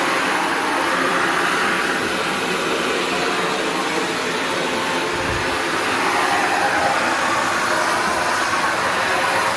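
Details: Shark NV355 vacuum bought in 2018, about 3 years old, converted to hose mode with strong flow; even rushing motor and airflow roar with steady pitch, no rattles or surging; normal running.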